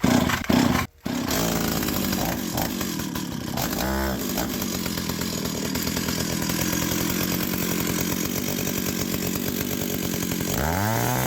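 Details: Stihl 028 Wood Boss two-stroke chainsaw after oiler cleaning: holds a crisp, steady high rev and blips cleanly up and down with no bogging; sounds healthy, oil now pumping heavily.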